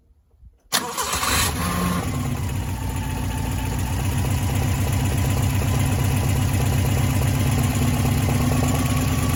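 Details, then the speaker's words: 1989 Subaru Brumby 1800 4WD after replacing both head gaskets in the car: brief cranking, catches, steady even idle on all four cylinders, no misfire or knock; valve noise noticed later on a test drive. "And there we go. Running on all four cylinders again."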